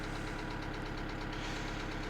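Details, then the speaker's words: 2008 Kia Sedona 2.9 CRDi diesel (J3), check engine light on: hard, regular knocking on every firing stroke over a rough idle; a bad knock, cause not pinned down. "i'll actually let you hear the engine that's a bad knock"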